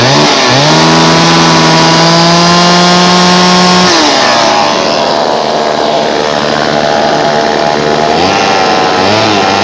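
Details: Homelite Super 2 chainsaw, revived with fresh fuel, primed and adjusted carburetor, chain tightened: revs to steady high buzz, drops back, settles into even idle with no misses; earlier idled 20-25 minutes without dying; healthy.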